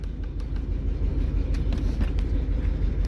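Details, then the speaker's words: 2003 Chevrolet Trailblazer that came in as crank-no-start, no codes: low idle rumble with uneven stumbling beat; coils swapped to confirm misfires follow coils 1 and 5; failing coils replaced and clogged injectors cleaned. "hice unos cambios para verificar cuál es la bobina que está fallando. Está fallando la 1 y está fallando la 5."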